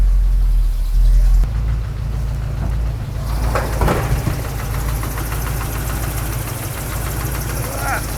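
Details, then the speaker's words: 600 hp low-buck 454 big block Chevy V8 in C10 squarebody with upgraded valvetrain: loose uneven tapping about three per second over deep idle, top-end tap of unknown cause; crew jokes the motor may be blown. "What am I hearing? might have blown your motor up, Tony."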